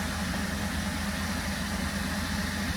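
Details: 2017 Holden Commodore SV6 LFX V6 after oil, filter and spark plug change: very quiet, smooth idle around 500 rpm with even pulse and no knocks, ticks or whine; idling healthy.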